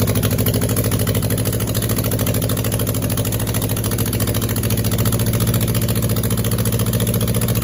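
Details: First run on a test setup of a freshly rebuilt air-cooled 2270 engine (heads, align bore, rods, balancing) after an oiling problem took out a main bearing: deep, even thrum with a steady low pulse, no knocks or rattles; healthy.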